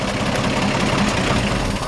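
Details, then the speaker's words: 1955 Ford F100 short bed, original engine with solid lifters, three-speed column shift, hood open after a drive: steady even idle with soft regular beat and quiet top end, healthy lifters. "pop the hood and listen to this engine run and I've just open that with one hand good we'll get nice healthy solid lifters you can hear they're all right"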